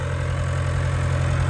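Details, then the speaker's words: Tractor diesel running after a dead battery and a troublesome fuel-system bleed where fuel wouldn't pass the fuel pump: deep, steady idle with even low throb, no stumbling or misfire; normal diesel idle. "She's running. I had to bleed the fuel system, which didn't go too well."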